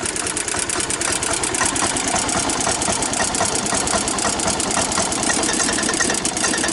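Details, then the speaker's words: 1993 Club Car golf cart petrol engine that had been hard to start and stalling, after a gummed carburetor was cleaned (jet blasted through), unused over a year, oil checked: small single-cylinder engine ticking over steadily with an even, quick chuff; running healthy. "Yeah, I checked the oil. The oil's good. We got it running again."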